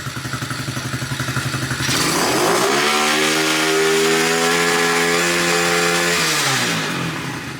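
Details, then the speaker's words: Cheap 110cc automatic dirt bike with electric start, cold start (first of the day): quick crank, then a smooth, even, steady buzzing idle. Healthy start. "we'll squeeze the break that's about very easy to start that's a cold start too we haven't started it today"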